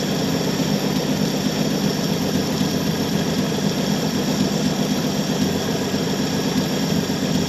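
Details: 1966 Chevy Biscayne 4-door, straight-six with Powerglide, after sitting about 20 years; steady, even idle with a smooth low rumble, no knocks or misses. Runs good, a little smoky. Normal idle.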